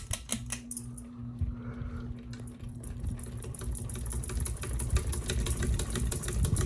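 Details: A ceiling fan on high, globe just tightened, clatters with uneven clicks, roughly three a second, over a low hum; owner suspects loose screws, then blade-arm screws.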